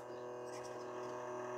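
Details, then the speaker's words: Salvaged stereo's cassette deck, play pressed: motor whirs and grinds noisily but spools don't turn, also no fast-forward; owner suspects the main motor belt has gone and the motor sounds dodgy. "no the spools aren't turning and I can hear the motor grinding away it's probably going to need belts"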